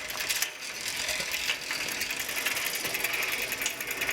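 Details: Old Sears three-speed bike with a Shimano 3-speed hub, just oiled, pedaled through first, second and third. Fast, light, steady ratcheting ticks over a whirring drivetrain: the hub is behaving normally.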